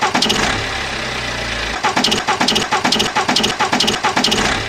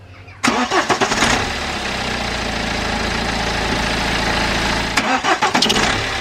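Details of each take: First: BMW N47 diesel startup: on cranking and first firing, a quick run of sharp rhythmic chirps, only at startup for past few months; owner rules out belt or tensioner since not consistent; traced to the alternator, alternator replaced. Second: BMW N47 diesel startup after alternator replacement: catches quickly and settles into an even idle, the brief squeak/chirp heard as the engine first turned over is now gone; cause was the old alternator, not belt or tensioner.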